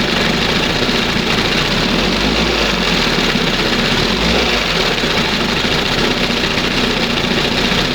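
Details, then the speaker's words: 1971 Johnson 20 hp two-stroke outboard after carburetor mixture and idle stop screw adjustment, throttle at first mark: smooth, even burble with no sneezing, stumbling or surging; normal idle. "Wow. That's the best right there. Sounds much better. And it's down here, you know, it's idling. It's at the first mark."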